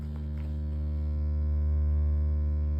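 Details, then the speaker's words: Apartment building basement where the transit heating main enters: loud steady low hum with no rhythm, a constant deep drone causing vibration that stops further along the main; cause unknown, heating utility to be called. "жильцы жалуются что шум какой-то гул идёт Из подвала пришли правда гул какой-то стоит и гул идёт как раз от ввода теплотрассы в подвал тут идёт Транзит у нас и вот от неё гул"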